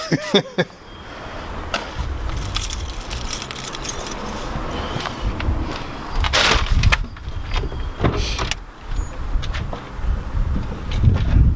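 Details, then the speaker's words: Mk3 Audi TTS on cold start after fitting APR coil packs and NGK plugs: catches after a short crank and settles into an uneven, lumpy idle with irregular thumps, same as before. Rough idle on cold start. "So as you can see from the video, it's running rough, it was sort of getting confused"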